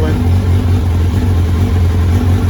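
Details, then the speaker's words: 2003 Kawasaki Z1000, fuel-injected, 3,000 km, cold start at 25–30°C ambient on choke: lumpy, stuttering, stumbling idle as cylinder #3 misfires or drops out for the first 30–60 seconds until warm. Cause not yet diagnosed; crank position sensor under consideration. "there she is running and it is it is a little lumpy i'm just using the choke here you can kind of hear it stuttering and stumbling"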